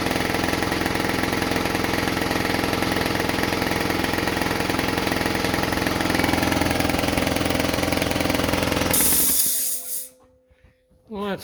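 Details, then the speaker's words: About 20-year-old air compressor with a brand new replacement motor, which would not restart with air in the tank. After maintenance it pumps with a steady, even chug of about 210 per minute, then stops with a short unloader puff and no leak hiss: normal run. "good I got the little puff of air coming out of it no leaking which is good"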